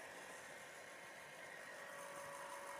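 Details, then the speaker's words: 1960s Morphy Richards HDA2 Bakelite 'Noiseless' hairdryer running: steady, even whirring hum of small motor and fan, no knocks or rubbing, likened to a refrigerator compressor motor; not very powerful, normal running. "like a refrigerator motor actually with a compressor or my appendix spin dryer right so let's do it it's not very powerful I will tell you that but it's old you understand it's vintage"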